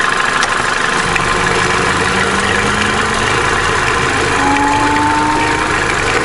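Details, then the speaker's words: Opel Corsa D A14XER 1.4, 65,000 km, complaint of noise when warming up, codes P0011/P0014: now fully warm, even steady idle with only light injector tick, nothing knocking. Normal warm idle. "вот сейчас мотор прогрелся слышно только небольшой Шеле форсунок Всё в пределах [музыка] норма"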